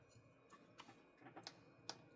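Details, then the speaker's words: TATALIKEN 4000W inverter under test, battery protection tripping: faint, sharp irregular ticks as something arcs to the case; suspected capacitor discharge, possibly from long capacitor leads soldered by the customer. "Щось фігачить конкретно на корпус. Тіньк."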